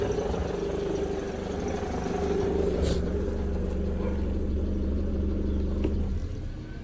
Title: Mercedes Benz W211 E200 Kompressor Engine Knocking Sound